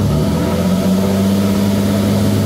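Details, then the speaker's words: GMC Jimmy (same as Blazer/S-10) with 4.3 Vortec V6, owner reports strong vibration, high fuel use and fuel smell; throttle snapped to about 3000 rpm at the exhaust gives rough, uneven revs with wavering drone, running rich. "bueno pues ya escuchamos y pues ya vimos que en realidad se está metiendo un poco más de gas de lo normal"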